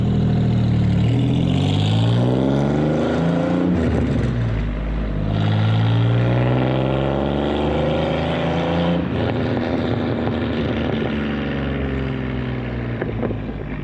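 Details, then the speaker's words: Supercharged Pontiac Fiero drive-by after replacing a faulty fuel injector, car still a little cold: the pitch climbs smoothly through the gears with no stumble or popping; the engine runs a little better and stronger than before. "so yeah man hey that works out pretty good actually it does run a little bit better"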